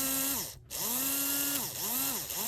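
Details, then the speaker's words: HO scale brass Union Pacific FEF-3 4-8-4 #840 model locomotive after cleaning and oiling: small motor whines evenly, pitch sweeping smoothly with speed, no catching or rattle; running better than before. Normal motor run. "Str is running better than it just was"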